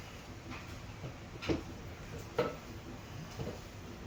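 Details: Subaru: three sharp metallic clinks about a second apart as the loose exhaust heat shield is struck and rattles against the pipe; fixed by securing it with a band/hose clamp tightened with a flat-head screwdriver.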